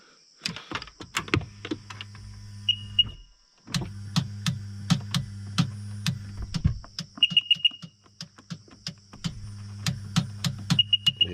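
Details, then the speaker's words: Old Sea-Doo GTX that showed a 12-volt low warning on the lake and then wouldn't start: quick irregular clicks with no cranking plus short warning beeps; the owner first assumed the battery, but the starter solenoid was faulty. "old click, click, click. So where it came up low battery, and it's an old machine, I just assumed the battery probably calfed out on me."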